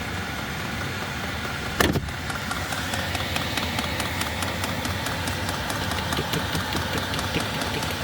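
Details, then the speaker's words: Vevor diesel heater in van, newly installed with standpipe, fuel lines, pump and filter, running full output without face plate: even, steady fan and burner whoosh, pump barely audible, one bump; normal running. "so yeah so once we get an actual face plate on this the only thing you'll hear is that fan running"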